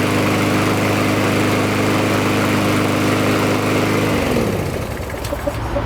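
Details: Lawnmower that only ran on starter fluid and died, after carburetor cleaning and recoil starter pawls lubricated: small engine holds a steady, even beat at running speed with no misses, then winds down cleanly when shut off; normal running.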